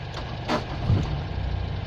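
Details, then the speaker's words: Nissan Bluebird after head gasket replacement, distributor reworked, jump-started, no coolant in it; brief clatter then steady, even low idle, no misfire or knock; normal idle, runs smoothly. "it runs smoothly woohoo it's got no coolant in it turn it off huzzah at last"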